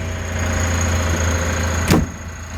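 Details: 1964 Citroen 2CV Charleston clone, 435 cc twin, just after start-up with the choke pushed back in: low, steady thrum with an even beat and one brief handling bump; settled, healthy normal idle.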